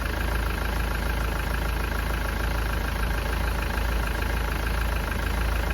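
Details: Engine running during a head gasket test for exhaust gases in the coolant, not yet at temperature: steady low idle with an uneven, lumpy beat of about two pulses a second; not running properly.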